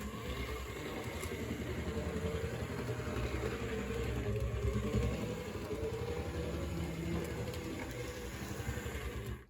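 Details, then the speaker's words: Repaired HO scale Tyco Mantua diesel locomotive on test run after reassembly: small motor hums steadily with soft even track clatter, no stumbles or grinding; runs great, slightly worse in reverse; normal running. "I'll give it some power. And it runs great. Again, it's a little bit worse in reverse."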